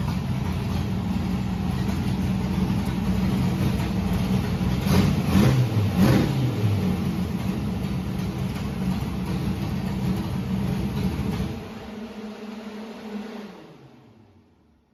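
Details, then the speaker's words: Historic Richard Petty #43 car's V8 on its first test drive after weeks of work; deep rumble pulling cleanly through quick throttle surges, then dropping smoothly; runs strong despite smoke suspected from valve guides. "Boy, that thing runs like a scalded ape though, smoke and all. Very pleased."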